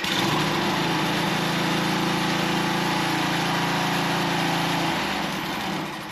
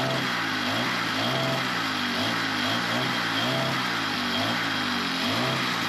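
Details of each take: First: Small two-stroke unit, air filter screen still needing replacement: holds a steady high buzz at throttle, then eases off cleanly around five seconds; runs smooth and healthy. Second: Small engine after new fuel line and fresh gas, long unused: hunts up and down about 1.5 times a second at a high idle and acts like it's cutting out; owner thinks the diaphragms just need more run time to adjust, not confirmed.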